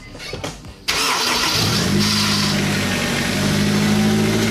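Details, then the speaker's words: 2004 Honda S2000, first start after a valve lash adjustment. It cranks and catches at once, flares briefly, then drops to a smooth, even idle with no ticking, purring: normal start and idle. "Listen to that. Purrs like a kitten. Purrs like a kitten."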